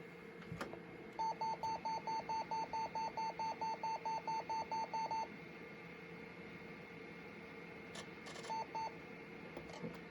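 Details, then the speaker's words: Compaq LTE Elite 4/50E laptop at power-up, with a Windows 95 drive from another machine fitted: rapid short high beeps about two per second, smoke-alarm-like; owner hopes a stuck keyboard key, unconfirmed. "God, it sounds like a low-key smoke alarm."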